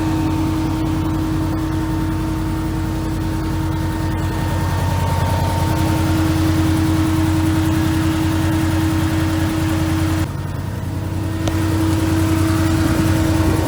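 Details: Can-Am Commander after replacing the OEM cooling fan motor with an aftermarket Hayden unit and bleeding the coolant, with no leaks. Steady engine hum with an even, unwavering whir on top and no rattle or rub; the replacement fan runs smoothly.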